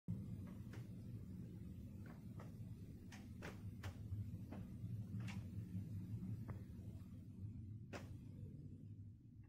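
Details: Four Samsung split air conditioners make sharp irregular popping and snapping sounds, about one a second, plus rattling over the low running hum; the noises returned four months after a casing replacement and are increasing in volume and frequency.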